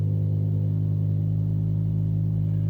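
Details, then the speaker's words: BMW M6 V10 cold start just after pressing start (engine starts only in neutral with brake pressed): deep, steady idle rumble with even beat and slight cold-start lumpiness, normal; owner notes they all sound rough when first started. "they all sound rough when you first start them is ridiculous"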